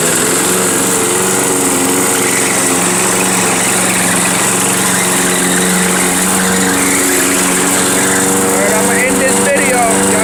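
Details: Toro GTS 6 hp lawnmower, small single-cylinder engine, running outdoors in wind after its pull-cord rope was replaced. A steady, even hum holds constant speed with no misses or knocks. Normal running.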